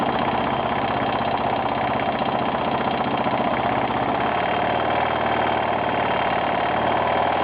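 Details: 1992 Yamaha XT600E (3TB) single-cylinder at idle: fast, uneven tick-knock riding over the exhaust beat; owner asks what the strange knocking noise is, cause unknown.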